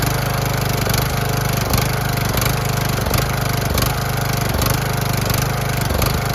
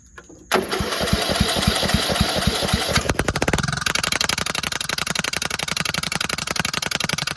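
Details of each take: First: Cheap used riding lawnmower, small single engine restarted after a loose part was bolted back on without a gasket (threads rusted): a lot quieter, steady even throb with no knocks or misses, but still blowing some oil from somewhere; normal running. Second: Cheap used riding lawnmower, engagement pulley spring missing: cranks and catches, then settles into loud, sharp, raw popping exhaust pulses at idle with the muffler not attached; exhaust leak from loose muffler.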